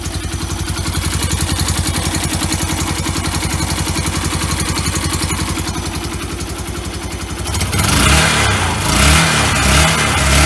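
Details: Yamaha YBR 125 after swapping in a used engine, replacing one with a suspected failed crank bearing rattle and no power: even single-cylinder idle with a few quick blips, no rattle or misfire; sounds healthy.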